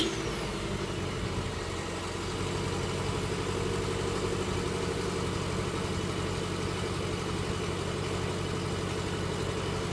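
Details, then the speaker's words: 2010 Subaru Forester after removing rattling catalytic converter heat shield, first start: cold-start idle slightly raised, steady even hum, quieter than before, no rattle or buzz; remaining noise attributed to cold start. "uh it sounds like it worked definitely not as loud as it was upon the first start uh I do know when Subaru's cold start they are a little bit louder so there was a little bit of noise there but I really think that's just from the cold start"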